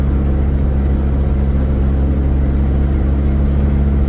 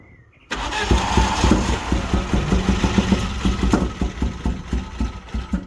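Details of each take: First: Vauxhall Nova GTE with a swapped-in C20LET 2.0 16V turbo engine on its first test drive, warming up: steady, even drone with a smooth low rumble, no knocks, rattles or scraping; air-fuel ratio looks good and it runs fine. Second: Vauxhall Nova GTE with newly fitted C20LET 2.0 16V turbo engine, first start: runs lumpy and uneven with irregular stumbling pulses; plug leads in the wrong places, firing order wrong, fixed by swapping them.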